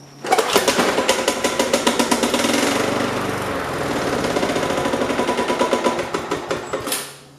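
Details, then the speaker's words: Yard-sale MTD/Weed Eater push mower, cold start after priming: sharp regular knocking right after startup that clears once running; owner unsure if rod knock, cause unconfirmed. "as you can see something's definitely kind of funny about it uh what exactly i don't know i don't know if it's got a rod knock to it but as soon as it gets going it clears right up"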